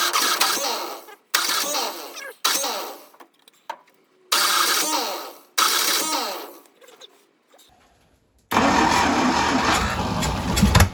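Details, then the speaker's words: 1952 International Harvester L112 engine, unrun for decades, after a new 12-volt ignition coil fixed the no-spark problem. Short cranking bursts, then it catches and runs, but not steadily, while being hand-fed gas and starter fluid. The coil still gets hot. "So it will run, which is awesome. Didn't get it to run steady, but that's not too surprising because I'm baby feeding gas and starter fluid to it."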